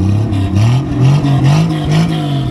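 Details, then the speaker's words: 1967 Plymouth Valiant two-door sedan, slant-6, first run (didn't run at pickup), new battery: engine revs up quickly and evenly through short blips, smooth firing, no knocks or misses, smoking heavily while warming up; normal free revving. "oh yeah six cylinders of Fury baby six cylinders of Fury oh [Music] seems to run okay it's smoking like a chimney which is fine uh it revs up pretty good it's kind of warming up"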